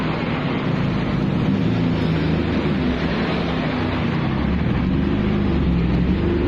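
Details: BMW E36 revved before muffler removal: a loud, raspy exhaust drone with rough, uneven pulsing. The rear muffler is cracked and leaking exhaust.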